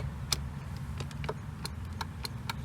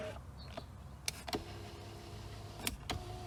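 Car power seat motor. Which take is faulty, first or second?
first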